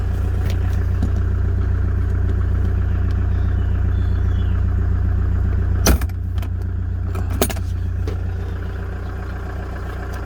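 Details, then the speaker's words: 2009 Toyota Commuter van, 2.5 D4D diesel, heard with the engine bay open: a low, even idle with a steady throb and no knocks or misses. The engine is described as quiet, steady and dry, with no leaks or vapour; healthy. "นี่ครับเครื่องเงียบๆนิ่งๆนะครับไม่มีเยอะนะครับแห้งๆนะครับ"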